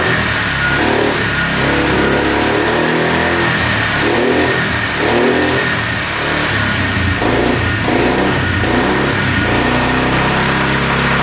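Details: 2002 Polaris Magnum 325 4x4 ATV, bought as a non-runner needing a carb clean, first start without choke. The single-cylinder idles steadily, blips up and settles back cleanly with no knock, with a beeping battery; sounds really good.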